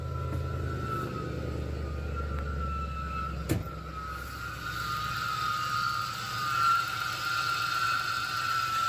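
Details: Idling supercharged (M90, 7 PSI) Ford 4.6L 2-valve V8 in a manual-swapped 2010 Crown Vic on first start after the build, running rich on larger injectors; a steady high whistle rides above the rumble, from a worn belt tensioner and idler pulley.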